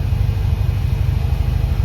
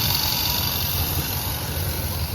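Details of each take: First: 1990 Dodge W250 Power Ram during test drive: after throttle the engine keeps idling high with no gas and won't drop back down; PB Blaster did not fix the high idle, cause unconfirmed. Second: 1990 Dodge W250 Power Ram engine settling to a steady, even, clean low idle after the throttle closes, no knocks or misses; it had been idling high and creeping back up, owner suspects a worn throttle return spring.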